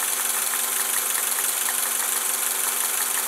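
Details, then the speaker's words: Honda Accord, believed to be a 1991, at idle during timing check: light, uneven low-pitch clicking about three a second over idle hiss, felt by hand at a sensor at the back; unsure if that loud is normal. Cause suspected, not confirmed. "and then also it went off when I was kind of like touch it down here so that tells me that that low pitch clicking noise and I can hold this and feel it"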